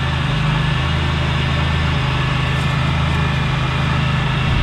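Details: 1998 Buick Riviera parts car, L67 supercharged 3.8L 3800 V6, 157,278 miles, heard from outside at idle: deep, even hum with a steady low note, no rattle or supercharger coupler noise; smooth, healthy engine.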